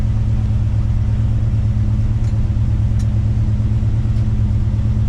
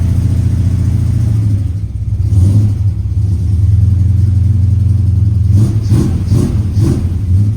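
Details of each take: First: 1975 Chevy C10 454 big-block V8 after a carburetor cleaning with the jets cleared: deep, even, steady idle with no misses, knocks or hunting, 63 psi seen on the gauge; normal smooth idle. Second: 1975 Chevy C10 454 big-block V8, carbureted, long tubes, 3-inch exhaust, first start: deep, lumpy rumble that surges and sags with ragged bursts; rough running.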